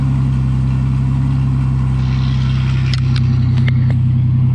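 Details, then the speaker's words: 1988 Ford Bronco II V6 with exhaust modified, still two cats but no muffler fitted: deep, raspy drone with choppy, uneven pulse; loud exhaust without muffler, muffler added afterward. "That sounds terrible. That I don't know. It's kind of got some chop to it, actually. Yeah. No, it sounds like a little dinky V6."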